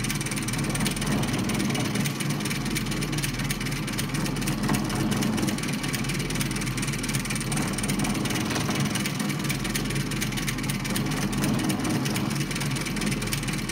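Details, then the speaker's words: Very old Vindex "C" treadle sewing machine winding a bobbin at slow speed: steady heavy thumping under the mechanical clatter, knocking loudly; cause not stated. "we're just going to do this slow because this is a very old machine as you can probably hear it's thumping quite loudly so I just don't want the machine flying off the table"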